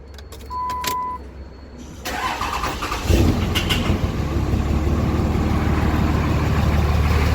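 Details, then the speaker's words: Diesel truck first started after fitting brand-new 50-over injectors: brief cranking, then a loud heavy idle with a hard clattering clack at first start that then settles; it runs. "hopefully all right she's running good I hate that clack in it first that is so annoying but she runs now"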